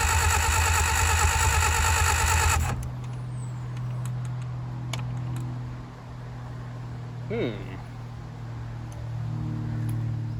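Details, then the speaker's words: 1959 Reliant Regal Mk5/Mk6 three-wheeler, not run in 20+ years, starter bendix freed, poor earth connections, distributor top bearing play: steady rhythmic cranking with no firing; no start, ignition points gap too small, then cleaned and readjusted. "Okay, we just cleaned the points again and adjusted them. We didn't have much of a gap."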